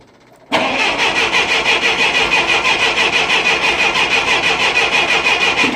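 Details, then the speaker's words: 1966 Clark forklift with a gasoline Continental flathead four-cylinder, sitting for 6 months, choke fully pulled, fuel pump clicking. It cranks steadily at about three turns a second and never fires; the owner suspects it needs a fuel prime. "It may need a prime for a good... Oh, it sounds like it's making pitch there. You got the choke fully pulled?"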